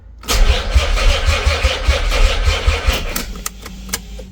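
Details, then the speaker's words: Nissan 300ZX twin turbo, sitting 12 years, after new clutch parts and fork: sluggish uneven starter churn about two beats a second fading without firing; battery going dead, later recharged. "Of course. Now, after all that, the battery wants to give up."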